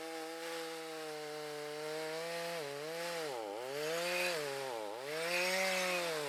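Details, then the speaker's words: Stihl MS310 on a cold start after no-parts repair, rakers corrected: crisp, high buzz dips twice under cutting load and recovers cleanly; the saw cuts well and runs healthy. "Not bad, little 310 on a cold start. No parts you need to repair. Back in business."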